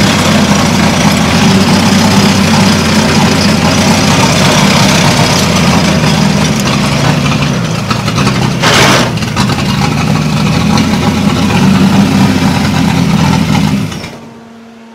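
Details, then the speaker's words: Caterpillar D2 crawler repowered with Holden 202 petrol six: labouring note sags and wavers under load, dies after about fourteen seconds; no power, carb suspected to need tune-up. "I knew it was going to stall it's making no power at all running like"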